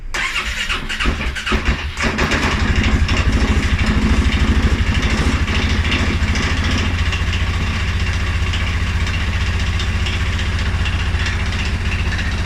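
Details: 2011 Polaris Sportsman 550 XP cold start: cranks and catches with a ragged stumble for a couple of seconds, then a low, lumpy idle; EFI sensors, valves, timing, plug and 43 psi fuel pressure checked good, cause unknown.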